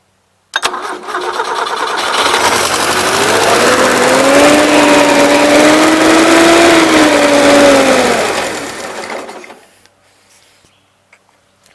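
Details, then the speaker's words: 1977 Gravely GMT 900 started, likely running on fuel poured in; climbs to a fast, steady drone for about six seconds, then shut off; owner suspects the throttle butterflies are stuck wide open; carb needs work; high idle. "I shut it off again because I swear it's trying to run wide-open throttle butterflies yes running off the fuel on dumping in there"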